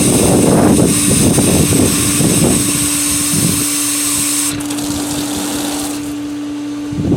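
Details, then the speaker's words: Pool pump on its first start of the year, feeding a D.E. filter with the multiport on filtration: steady pump drone with air gurgling and hissing out of the open filter air relief valve as it catches prime. Normal priming. "Now we have to wait for the pump to catch prime because we just added and admitted a lot of air to the system. We're going to wait until water starts shooting out."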